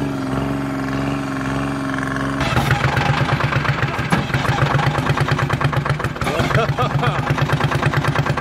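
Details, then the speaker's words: Detroit Diesel three-cylinder on an old dragline crane abandoned in the woods 20+ years, first start after draining water from the fuel filters: after cranking it settles into a steady, even beat on all three cylinders with no knock or miss; running normally. "he sounds good he sounds real good [Music] uh to me it sounds good i don't know oh yeah it doesn't sound bad at all it's hitting on all three"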